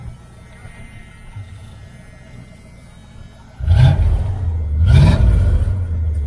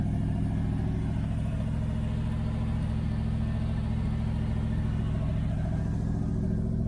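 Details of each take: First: 1978 Dodge Aspen R/T V8 with a newly installed exhaust system: quiet for a few seconds, then two sharp throttle blips on a deep, even burble that settles cleanly; normal exhaust note when revving. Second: 1978 Dodge Aspen R/T V8 with newly installed exhaust system: deep, constant, loud boomy rumble at idle; owner suspects a leak up front and needs more welding, though no clear puffing tick stands out.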